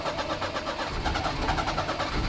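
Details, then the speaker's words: 1988 Daihatsu Hijet mini truck, sat for years, cranked with a jump pack: fast cranking with sputters that almost fire but won't start; strong fuel smell, owner suspects fuel pump overpressurizing without a regulator. "come on oh she wants to go she wants to go come on she wants to fire oh so close"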